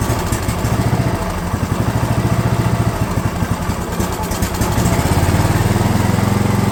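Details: DR all-terrain mower, Kawasaki FV420V engine after years sitting, fuel lines leaking: lumpy low chugging that surges and won't hold idle; owner suspects flooding, then finds very dirty carb bowl.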